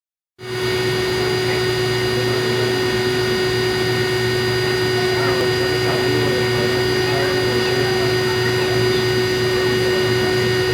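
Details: Continental-Girbau washer-extractor with bad drum bearings during spindown, where the electric braking cycle failed: a loud, steady roar with deep rumble and whine; the drum barely turns and scrapes when spun by hand, and the motor is considered finished.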